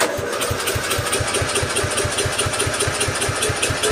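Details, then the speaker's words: Mower engine swap, replacing a 15 hp OHV with a 12.5 hp flathead, first start try with choke on and no starting fluid: the starter cranks in even compression beats but it never fires; getting fuel, owner suspects no spark. "Definitely getting gas. Not seem to be sparking. Oh. I guess you could call that a cold start fail, right?"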